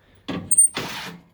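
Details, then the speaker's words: Toro Timecutter zero-turn mower being checked for no-crank/no-start: with the ignition on and one lever pulled, a short whir and clunk as the electronic park brake module disengages normally. If this sound is absent, the park brake is faulty. "pull one of the levers, and what you just heard is the actual park brake disengaging."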